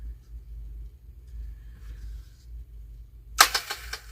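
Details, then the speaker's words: Power Wheels ride-on toy DC drive motor bench-tested, with burnt plastic smell: quiet hum then several sharp pops and cracks under a second as power hits; popping DC motor, owner suspects melted plastic rather than the motor itself. "my you hear that pop that one's broke did y'all hear that that does not sound good does it it's got a bad motor this should not be popping like that yeah that should not be popping like that"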